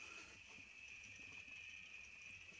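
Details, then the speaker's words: HP 3456A bench voltmeter giving a steady, thin, high-pitched chirping buzz with a slight flutter; the fault is intermittent and had happened once before; its internal source was not yet located before teardown. "then I came home and this was making a buzzing chirping sound which is done once before though that went away so I didn't worry about it too much"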